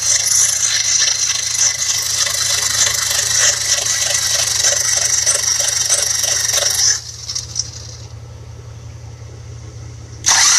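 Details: 1966 Buick Riviera GS 425 Nailhead engine cranking after oil pump confirmed working by priming: even cranking about four beats a second with loud open valvetrain clatter, never fires; slow crank, no start.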